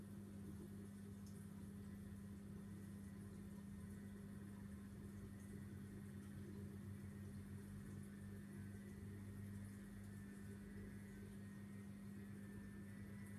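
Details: Vortech MP10 quiet-drive pump after a month of use: steady loud low hum with a rough, engine-like drone, like a new diesel, far noisier than a supposedly quiet drive motor should be.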